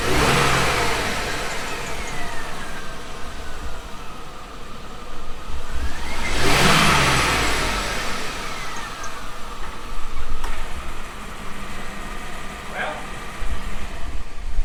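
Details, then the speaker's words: GMC Yukon LS engine after fitting a used, rusted A/C tensioner pulley from a Silverado that sat in a field, revved from under the truck: chirpy high squeals climbing with each rev, likely worse than before; cleaned up slightly after running. "well sounds like there's a bunch of either superchargers or little birds in there just here slide under here and I'll rev it up let me know I'm pretty sure it's worse"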